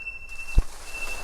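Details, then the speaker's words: Onebot S6 folding electric bike, 16-inch wheels, 240 lb rider, stopping after coasting down a steep hill: thin, steady high squeal through the stop with one soft thump; disc brake squeal while braking. "you hear that break squeal oh my God that is annoying"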